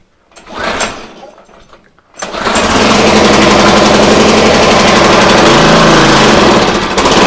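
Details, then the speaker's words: Free used pressure washer engine: brief sputtering start, then rough uneven buzzing run at full choke, stalling when the choke is turned off; runs only on choke due to dirt in the carburetor bowl and jet starving fuel. "we definitely have a carb problem so unless it's on choke it's not going to run it's not running very well either"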